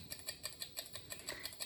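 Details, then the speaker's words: Seiko 6138 'Bullhead' watch on a timing machine after winding, before service: fast, uneven paired ticks galloping, signal not picked up at first; not overbanking, hairspring possibly stuck together, unconfirmed. "That sound of galloping, it sounds like a horse galloping, it's usually indicative of overbanking, too much amplitude. In this case, it's not the case. It could be that the hairspring's stuck together."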